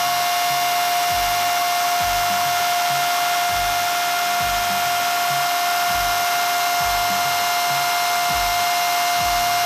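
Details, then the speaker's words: Traxxas Rustler VXL 2WD RC truck after Boca ceramic bearing upgrade to rear end, break-in run on 3-cell battery at 4.15 volts per cell: loud steady high whirr with soft regular pulses, no grinding or ticking; bearings spin freely. "So I'm going to go ahead and spin this guy up."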